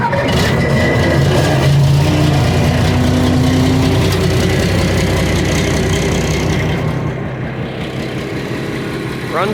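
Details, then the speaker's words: TCM FD-80 forklift, Isuzu diesel, high hours: deep, steady diesel clatter settling into an even idle with no misses or knocks; engine runs sound. "it's an Isuzu diesel and it actually does run let me just start it up"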